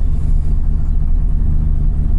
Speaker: it's cold idle's coming up afr what a machine so yeah cars running uh yeah it wasn't a bad cold start considering the e85